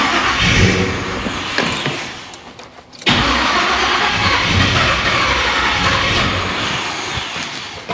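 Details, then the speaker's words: Monte Carlo with a big engine on its first start, idle screw cranked up: it catches and runs unevenly, sags and nearly dies, then catches again, and won't settle at idle. Running longer risks burning the plug wires. "Come on. Just just run a little bit. That's what you want to do. We know you want to run."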